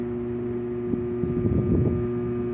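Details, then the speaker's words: 24,000 BTU 220 V split air conditioner outdoor condensing unit: fan runs, compressor hums with a rough straining rumble trying to start but lacks strength and stalls; capacitor suspected failed. "está cuando el compresor trata de iniciar se escucha el ruido característico de que está tratando de iniciar pero no no tiene la fuerza suficiente para iniciar"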